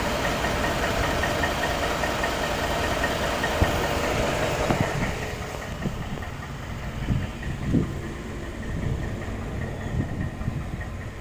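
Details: 2013 Ford F-150 5.0 V8 with 95,000 miles, dealer-serviced since new, idling with dull knocking and clanking at an uneven beat.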